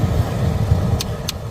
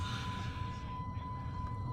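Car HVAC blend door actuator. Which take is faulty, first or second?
first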